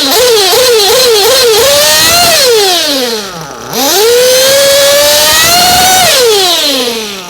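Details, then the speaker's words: Race engine on VP Power Master fuel after tuning, quick blips then slow throttle pull after clearing the motor: pitch climbs smoothly with no hesitation or mid-range/top-end blowout; normal smooth throttle response. "There is no hesitation. There's no blowout on mid-range. There's no blowout on the top end. It just takes that throttle curve. It's just smooth all the way through."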